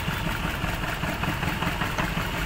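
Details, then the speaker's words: Maruti Suzuki Baleno with check engine light, vibration and poor pickup: pulling cylinder 3's coil connector changes nothing, uneven lumpy idle with irregular thuds, cylinder 3 misfiring from a faulty ignition coil. "ये देखिए जैसे हम socket लगाते हैं Ming बंद हो जाता है और निकालते देखिए पूरा गाड़ी वाइब्रेट कर रहा है"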